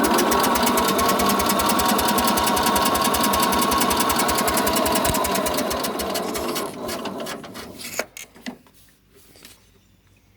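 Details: Sears SS14 garden tractor cranking with fuel on, choke and throttle tried, after five minutes of attempts: fast, even starter cranking about four turns a second for six seconds, never catching, then winding down; owner wonders if it lost spark, was running fine before.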